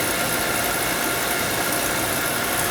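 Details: Oil burner no-heat callback after the drawer assembly was refitted, which had been hitting the electrodes and stopping the spark: smooth, steady roar of flame and fan, no puffing or rumbling; the burner is firing cleanly.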